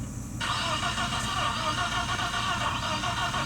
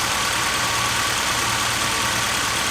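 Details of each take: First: 1997 BMW 318i M44 four-cylinder, first start after rebuild: lumpy, uneven running, stumbling harder when revved; misfire from spark plug wires placed by length in wrong order. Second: 1997 BMW 318i M44 four-cylinder after rebuild, spark plug wires corrected: steady, even idle with smooth low hum, no knocks or misses; running healthy.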